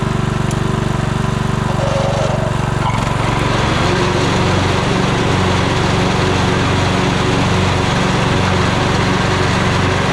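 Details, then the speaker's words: 1998 Craftsman LT1000 lawn tractor, about 28 years old: slow, uneven chugging at two to three beats a second that sags and hunts; idle too low and shaky; owner suspects idle setting, worn idler or belt, possibly carburetor; rough low idle. "Uh so I got to look into, you know, whether we have like an idler with a flat spot or something like that or a belt that's worn. Um and it doesn't want to idle perfectly. Although it does sound like the idle is very low."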